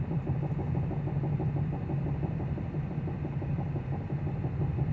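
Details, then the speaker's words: 2009 Pontiac G5 while driving and slowing down: a rapid, regular knocking that follows wheel speed and grows louder when slowing, braking or not. The cause was loose lug nuts. "Now it's slowing down. The noise is louder. Knocking noise becomes louder when I slow down."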